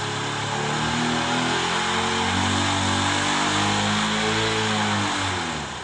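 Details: Honda Unicorn single-cylinder motorcycle in for a self-starter complaint, started with a multimeter on the battery: the exhaust note rises smoothly with throttle and falls back, runs evenly, and charging voltage climbs above 14.5 V, so charging is fine.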